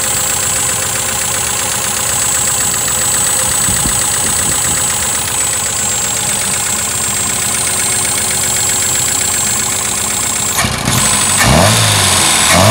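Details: 2.0L Pinto engine fitted in a Ford Cortina, down on power: an uneven, lumpy idle with a steady high whine over the engine throughout. Running rough; the cause is not yet found.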